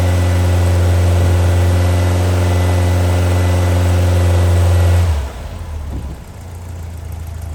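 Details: Brand-new Powerhaus VW 2110cc air-cooled turnkey engine for a 1966 21-window bus, upgraded head, dual 44 carburetors, on dyno after first start and valve adjustment; smooth even four-cylinder rumble holding steady, then clean shutdown, no valve tick; normal running.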